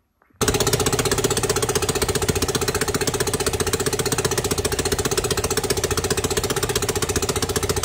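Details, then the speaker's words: Freshly assembled Jawa 500 OHC single on first test: hard, loud uneven clatter near four beats a second; ignition timing shifted from a missing tooth in the dynamo gear drive. "Prvý problém bol taký, že motor sme naštartovali a chvíľku vzdochol, prestal ísť. Po kontrole sme zistili, že sa zmenil prezápal."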